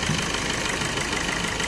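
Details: Maruti Suzuki Swift diesel at about 144,000 km after a timing chain replacement and full service: a steady, quiet, smooth idle with low vibration and no ticking, rattle or noise. There's no malfunction light, and the earlier oil leak is gone.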